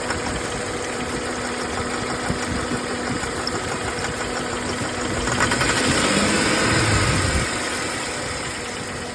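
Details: 2004 Jeep Grand Cherokee WJ 4.0 six at idle: a light, fairly regular tick about four per second over a steady hum. Engine ticking or knocking, cause unknown; smoke is thought to come from the intake manifold gasket.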